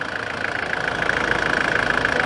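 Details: 1993 Nissan Terrano diesel after hard-starting repair, now pulling well; even idle with light regular clatter, no stumbling or misfire; normal diesel idle.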